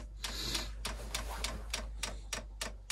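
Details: Chinese diesel air heater on an Eagle bus conversion, priming: light crisp ticks about three per second with a faint hum behind, air bubbles moving toward the heater; fuel dosing pump working normally.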